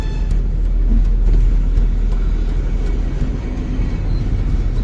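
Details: Maruti Wagon R (K series) driving: steady low road and engine rumble with no squeal, rattle or knock; caliper pins had previously caused a clanking noise.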